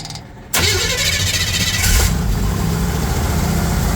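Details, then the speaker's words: Bombardier wide-gauge snow vehicle, first start after refuelling and reassembly, air cleaner off; quiet, then catches at once and settles into a steady, even idle with a strong low rumble; starts and runs fine. "there you go fired up Dad's going to have to put the air breather back on"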